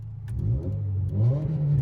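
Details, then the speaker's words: Daily driver, while driving: part of the exhaust fell off onto the road, leaving a loud, deep, raw drone that swells with revs; blown exhaust. "I look in my rearview mirror and part of my exhaust is skipping along the road. And now my car sounds sick."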